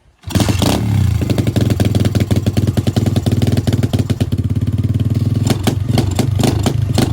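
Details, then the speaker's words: 125cc pit bike with a newly fitted 26 mm Nibbi carburetor after a jet swap: the single thumps unevenly and stumbles as the throttle opens instead of picking up cleanly, still bogging; the cold engine may be the cause. "It still sounds like it's bogging out. That could have just been because it was cold though."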